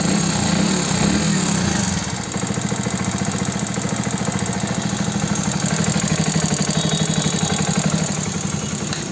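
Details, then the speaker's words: Hero Passion Plus BS6 motorcycle, 13,000 on the odometer, idling: fast, sharp metallic tak-tak ticking over the exhaust beat; owner believes rocker/tappet clearance has become too loose. "अब मुझे जो इसकी आवाज लग रही है ना वो है रॉकर की आवाज टाय फिट की आवाज इसकी जो टाय फिट है टाय फिट मुझे लगता है बहुत ज्यादा लूज हो गई इस वजह से इंजन में काफी ज्यादा आवाज आने लगी टक टक टक टक की"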